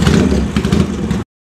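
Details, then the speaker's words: JS lightweight Norton twin at 40,000 miles, leakdown about 1% or less, no piston rocking or bore problem: short burst of crisp revving pulling cleanly with no knocks or rattles; healthy engine. "40,000 miles with one percent leak down it's pretty good there's no problem with piston rocking or cylinder bore we're and put some more miles on this bike and this is what it sounds like you"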